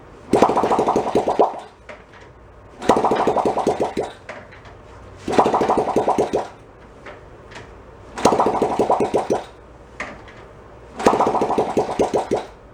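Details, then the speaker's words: 1972 Honda Trail 70 (CT70), stored about 20 years, carb dripping: five short bursts of ragged popping, each dying within a second and a half, disliking throttle; fouled plug suspected, unconfirmed. "Didn't like something. Like the valve just kind of go. He's dead, Jim."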